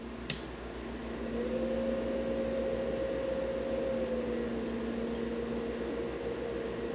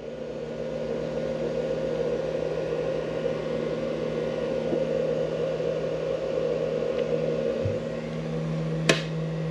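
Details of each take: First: Mini fridge with a cooled-down compressor, run from a 500W pure sine wave inverter on a lead battery (Jeep Wrangler battery) via 8-gauge wire: strained low hum swells and sags but never starts, the fridge trying and trying. Compressor fails to start, cause unconfirmed. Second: Mini fridge run from a 500W pure sine wave inverter clamped to the Jeep Wrangler's battery: compressor starts with no beep, steady whirring noisy fan over an even low hum, no stutter. Normal running.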